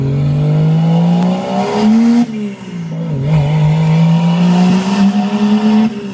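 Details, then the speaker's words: Toyota Cressida with 1JZ engine, warm, on a road drive after fixing boost leaks and misfires: strong clean exhaust note climbing smoothly through the revs in each gear with no stumble or misfire, a healthy pulling engine. "That's a fucking beautiful sound, man."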